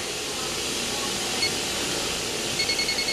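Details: Older Hyundai Elantra with no AC: infrared leak detector at the high-side service port, sensitivity medium, gives fast sharp beeping over a steady hiss, quickening toward the end; refrigerant leak at the high-side port (low side showed nothing).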